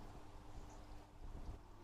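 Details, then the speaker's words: Fluval FX6 aquarium canister filter just after washing: faint, steady low hum under soft water and air noise, no rattle or grind; normal quiet running, unlike the loud hum before cleaning. "вот здесь уже Фильтр помыткин было слышно как он еле-еле слышно гудит"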